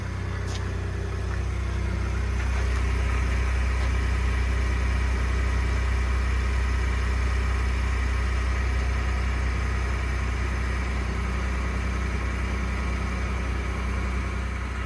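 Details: 2021 Ford F150 PowerBoost cold start at about 0°C: idle drone with rough gravelly grinding/cavitating undertone, recorded two days after dealership replaced flex plate and separator plate; noise persists, cause unconfirmed.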